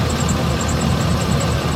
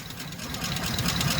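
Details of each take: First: 2007 Chevy Express 3500 van V8 at idle after the Motor Medic flush and oil change: a steady, smooth low rumble with no top-end tapping. The sticky lifter tick is gone; normal idle. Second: 2007 Chevy Express 3500 van V8 at idle with a little throttle: a quick, light ticking rides over a smooth idle and keeps pace with engine speed. No smoke; the owner had hoped it was a pulley. Sticky lifter tick.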